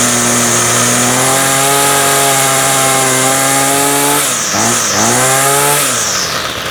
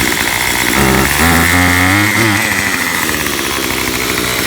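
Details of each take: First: Ryobi full-crank two-stroke trimmer, first start of spring after months unused, started on full choke then middle position: catches quickly, clean steady high buzz, winds down smoothly; healthy. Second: Makita 2500 leaf blower, about five years old, first start after six months stored, hardest start; small two-stroke buzzing unevenly at idle, speed wavering and stumbling; never adjusted, owner suspects it needs adjustment; rough idle.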